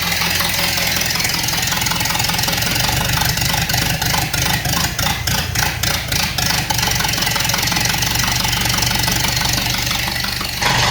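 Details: Unknown crusty donor four-cylinder in a 1929 Ford Model A doodlebug, first run bare-bones after carb fitted: steady slightly clattery idle, even beat, no misses, little smoke; revived engine running healthy.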